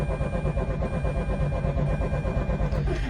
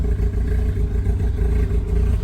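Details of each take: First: 2004 Mazda RX-8 rotary, after revving and shutting down during idle-fix after battery replacement: steady starter cranking near three beats a second, no catch; turns over but won't restart. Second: 2004 Mazda RX-8 rotary, idle problem after battery replacement, after reset procedure (pumping brakes 20 times): steady even low rumble, smooth rotary burble, no hunting or stumbling; idle holding fine.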